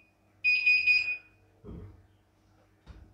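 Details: CNY E900 portable embroidery machine powered on during teardown, motor found loose and worn with heavy residue: single high-pitched beep under a second then soft clunks, flagging an error; cause suspected, not confirmed.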